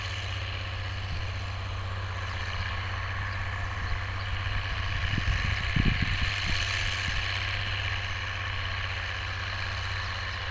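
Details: Oliver 1550 tractor, about 54 hp, pulling a JD BW disk 6–8 inches deep after fuel-system contamination cleared: steady low diesel drone pulling hard, a few implement clanks midway, no stumbling; running healthy under load.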